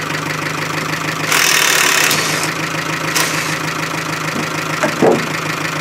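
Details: Chevy Aveo, about 100,000 km, running with no oil after re-firing from a stall: rough, uneven idle with loose knocking clatter and a few sharp bangs; bottom end knocking from oil starvation.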